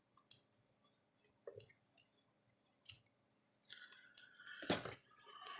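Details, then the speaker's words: Gallagher S17 circuit board from an F17 fence charger on about 6.5 V bench supply: sharp loud clicks every 1.3 s with crackling, sparks jumping from the terminals, and no tester reading. Transformer coil arcing; transformer to be replaced. "there he goes clicking and flashing little spark jumping from the terminals"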